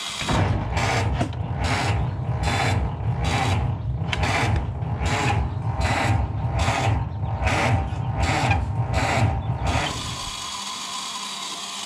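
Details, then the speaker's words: Ford Model T cold start on the electric starter: starter drags the engine in slow, uneven chugs, one or two a second, never catching; cranks slowly even with a charged battery. "see the starter it's always even with the charged battery it cranks pretty slow so you want to get as close as you can by hand"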